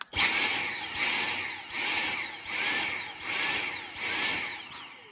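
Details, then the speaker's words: Dyson handheld stick vacuum motor whine swells and drops about every 0.9 seconds, pulsing badly and not running continuously; a blockage inside needs deep cleaning of the airflow areas. "Now that's usually an indicator that it's plugged up. So you can see by putting my hand over it here, and it's pulsing like crazy. So what that's telling you is that somewhere in here, it's plugged up and you got to clean it out."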